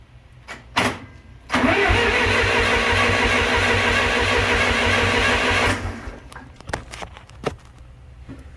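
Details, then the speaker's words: John Deere 3020 LP tractor with new head: even starter cranking about a turn and a half per second, never catching; a stuck LP regulator valve keeps fuel from getting through. "boy it almost wants to run stay alive girl it's like having chokes right now so I don't yet when I unchoke it then it ties hmm"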